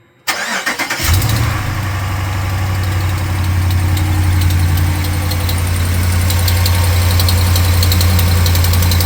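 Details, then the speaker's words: 2018 Ram 1500 5.7 Gen III Hemi V8 starting and idling: quick steady tick over the rumble from the passenger side, resembling valvetrain noise but thought to be an exhaust manifold leak with a broken manifold bolt; fixed with a new manifold kit. "so that sound that you hear coming from the passenger side of my truck sounds a lot like um valve train noise but what I actually think it is is um an exhaust leak"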